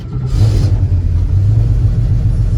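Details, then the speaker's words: 1973 Mach 1 with transplanted 351W and Holley 750 CFM vacuum-secondary carburetor, semi-cold start; deep uneven rumble with a brief blip, electric choke on too long loading the plugs, slight black smoke: rich running on cold start. "maybe you can tell that's loading the spark plugs up because it's a little bit rich it's rumbling a little bit"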